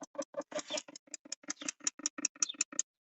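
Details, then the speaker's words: 2005 Opel Vectra C, ignition on, recirculation switched off so actuator closes the flap, dash panel removed: quick even plastic ticking about six a second for nearly three seconds then stops; actuator gear confirmed stripped. "Evet oh tamam arkadaşlar kapatırken tık tık tık diye vuruyor şu dişli sıyırmış Geçmiş olsun"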